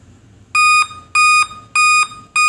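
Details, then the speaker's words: Laptop at power-on giving sharp, high beeps repeating continuously in a looping five-beep pattern; customer reports Windows works properly but the beeping continues, with a date and time setting problem too. "ए दोस्त कि यह लगातार beep की आवाज है"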